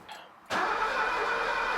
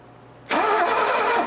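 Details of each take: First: Mercedes 250 (W114) parked for decades, start attempt with starting fluid; about eight seconds of steady cranking with even compression, never catches; cranks but won't start, owner suspects no spark. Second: Mercedes 250 (W114) parked for decades, starter jumped directly from neutral safety switch ignition wire to starter solenoid; a second of quick, even cranking, no clicks or grinding; starter works, neutral safety switch suspected (possibly ignition switch).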